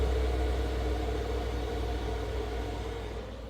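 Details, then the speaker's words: Chinese diesel heater in a Chevy Express camper van, just switched off by holding the button: low, steady hum with a soft pulse slowly fading as it runs its shutdown cycle; normal wind-down. "and then what you have to do is you have to let it let it go through its cycle as you can hear it's starting to wind down"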